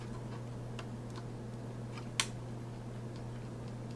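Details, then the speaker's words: Dell 7559 laptop reassembly: one crisp click as the new touchpad button is pressed, confirming the touchpad is seated in position correctly. "you hear that clicking that's how you know it's actually in position trust me i didn't hear that click before so that alone makes me happy"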